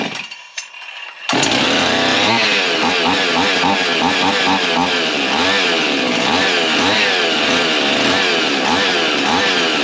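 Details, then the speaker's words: Husqvarna 55 chainsaw after carb kit: loud buzzing surging, wavering revs, way out of tune; fuel line drew bubbles, ran when cap cracked, so suspected blocked fuel tank vent not replacing air. "so it's a vent issue on the tank basically um I got to get that figured out"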